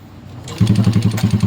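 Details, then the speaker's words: Honda XRM 125 motorcycle that had lost power and wouldn't start, running again after a wiring fix: engine catches and runs with a loud, coarse, clattery thump, described as very bad-sounding. "So inuulit ko napakapangit ng tunog ng makina mo."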